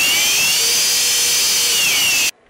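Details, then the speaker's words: Emax 2205-2600KV motors with Littlebee BLHeli 20A ESCs (DampenedLight) on a QAV210 clone quad: at high throttle the yaw twitching seen at mid-throttle disappears, giving an even, steady high whine; owner suspects gyro noise. "if I keep going on the throttle and push it up the twitching goes away"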